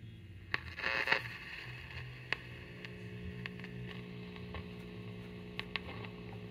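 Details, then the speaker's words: 1942 GE export radio with auto transformer, first power-up test with filaments lit: low hum with scattered sharp crackles and pops over faint hiss. Output is distorted; gassy tubes suspected, not confirmed, and band switch position uncertain. "That doesn't sound good. That sounds like gassy tubes."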